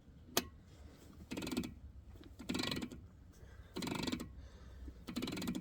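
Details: Nitro 35-spline locking hub on a Dana 60 front axle, in free and turned by hand: short bursts of fast ratcheting clicks, about one burst a second.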